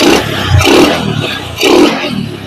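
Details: Honda Supra X 125 carbureted motorcycle during idle and air-screw carburetor adjustment, air screw at 1.5 turns: small single-cylinder engine blipped up and dropping back twice, revs rising and falling cleanly.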